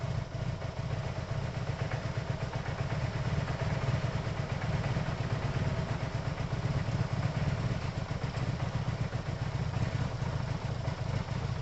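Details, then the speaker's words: Yamaha TMAX carbureted scooter after carb cleaning, not yet warm, idle screw just raised: fast, steady idle with busy mechanical clatter and no dips; idle sits very high. "I'd slightly higher it up. It's a bit iffy. I feel really high though. Like that's really high. See, that's probably too high to start it."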